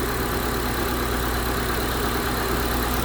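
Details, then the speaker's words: 2012 Honda CR-V 2.4 at idle just after replacing a noisy-bearing alternator: a steady, even hum with no whine from the accessory drive, so the new alternator is quiet. It first read 12.3 V, not charging, but sorted itself out after several minutes. "so there's the alternator back on and running and nice and quiet but it's not charging"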